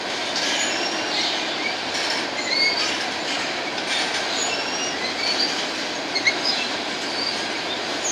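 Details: Empty BNSF grain train led by two GE locomotives, heading to North Dakota at sunset: steady rumble of passing cars with high thin squeals coming and going; some wheels squealing against the rail.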